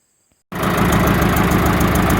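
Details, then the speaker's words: 1945 IH TD9 crawler diesel after rebuilding and retiming its Bosch APE4A injection pump: fires up and settles into an even, steady idle with a regular low thump, no misses or knocks; runs healthy and better than before. "all right so it runs got it on diesel i just gotta take it for a test drive see if it's got any more power than it did before it does run a lot better"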